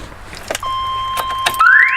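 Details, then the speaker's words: Car connected to a MoKo K12 lithium jump starter: steady high beep, then rising siren sweep as the alarm wakes once power is restored. "okay so we'll hush that up so we're definitely getting power right now which is really cool"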